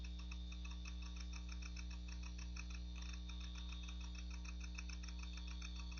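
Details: Macintosh PowerBook 520c (25 MHz 68LC040, Mac OS 7.5.5) booting from its 240 MB 2.5" SCSI hard drive, possibly IBM: faint quick ticking about three per second over a steady low hum. The drive is showing signs of failing soon.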